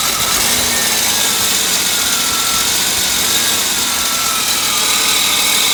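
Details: 1998 Volvo V90 at idle: thin high metallic screech throughout from the back of the engine, changed after topping up low oil; owner suspects cam or valve, unconfirmed.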